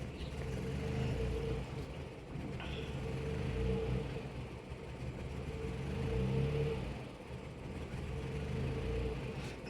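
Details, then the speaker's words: 2018 Mitsubishi Outlander with code P0113, intake air temperature sensor 1 circuit high, suspected ground fault: low, lumpy idle swelling and sagging every few seconds, barely running. "you can see the RPM and the engine barely runs and the RPM is not running"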